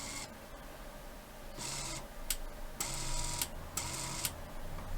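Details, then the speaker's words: Dyson SV03 cordless vacuum cleaner head attachment (roller motor) bench-tested on DC supply at about 5 V, low current limit: short bursts of smooth, even motor whir, no grinding or rattle, drawing a fair bit of current; attachment motor runs normally. "uh fairly low current and uh see if that will give us any kind of operation of this end and sure enough it's turning drawing a fair bit of current"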